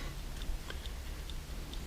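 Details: Serviced dash clock from a 1969-71 Lincoln Continental Mark III, bench-running on a fuse after its points were cleaned and the lube removed: light, crisp ticks a few times a second over a low hum. The clock runs normally.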